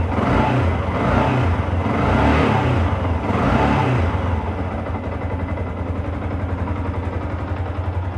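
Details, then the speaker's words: Yamaha R15 single-cylinder, 10 years in use, engine never opened, after its first oil change in 5 years. A few smooth rev rises settling to an even idle, no knocks or rattles; normal revving, smoother and lighter. "Udah sedikit lebih terasa lebih halus suaranya dan tidak ada tarikannya lebih enteng karena olinya beli baru, tarikan enteng. Jadi itu menyebabkan motor lari lebih enak setelah kita ganti oli."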